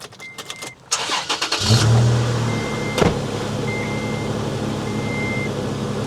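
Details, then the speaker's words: 2010 Toyota FJ Cruiser cold start, exhaust manifold and valve cover cold, heard toward the exhaust. Brief crank, clean catch, then an even, steady cold idle with a chime beeping: normal cold start. "Cold start, exhaust manifold's cold, valve cover's cold."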